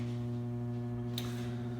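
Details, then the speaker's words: Ninja Foodi crisping lid starting air crisp at 400 degrees for 20 minutes on pressure-cooked ribs; smooth steady low hum, faint tick midway, no rattle or scrape; normal fan and heater startup. "I'm going to go ahead and crank it up to 400 degrees, 20 minutes, and start the air crisping. Here, coming to life."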